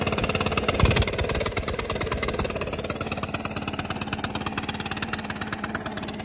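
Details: Stihl BR600 two-stroke backpack blower after carburetor adjustment and a throttle cable fix: quick, even popping that settles into a steady idle without hunting or stumbling; it idles much smoother now.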